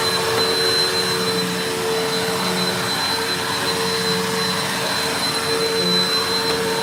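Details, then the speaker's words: Mystery vacuum fitted with a replacement motor bearing from another vacuum, running: steady high-pitched whine with faint pulsing whistle and uneven roughness, sounding kind of shot; probably a tired motor bearing, though owner later judges motor not shot. "That had a very shot motor that I could have fixed. This thing kind of sounded shot."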